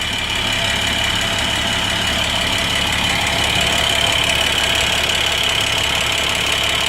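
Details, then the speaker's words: International MaxxForce DT diesel, first start after in-frame rebuild with rebuilt head and ground valves, electric fuel pump priming: fires readily into a steady idle with even clatter under a constant airy hiss; normal idle. "Electric fuel pump. See it charge up the fuel system. Yeah, no problem firing"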